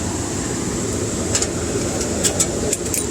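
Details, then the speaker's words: Carrier 58MCA gas furnace after replacing the blower motor (GE 1/2 HP 115 V 1075 rpm), squirrel-cage blower wheel and run capacitor: steady, even airflow rush with a faint high whistle, no metal scraping or rubbing; normal, smooth blower operation. "I don't hear any metal wow that sounds really smooth"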